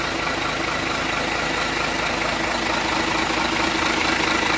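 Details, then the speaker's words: Hino 500 FM 260 Ti J08E diesel after engine rebuild/assembly: steady, even fast idle with no knocks or rattles; engine sounds very smooth and healthy. "untuk bunyinya sangat halus yakni sangat halus Neng"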